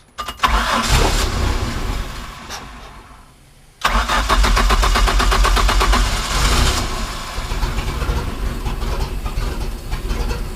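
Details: Manta Ray boat with a MerCruiser 4.3 after replacing the fuel line and filter and the broken tee on the oil pressure sensor/safety cutoff switch: cranks, pauses, catches cleanly and settles to a steady, even idle; fixed.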